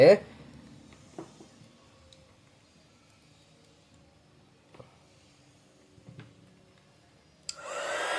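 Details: 300W inverter card under full load test driving a 300W hot air gun: quiet room, then a steady rushing blower starts and runs evenly; measured draw only about 200W.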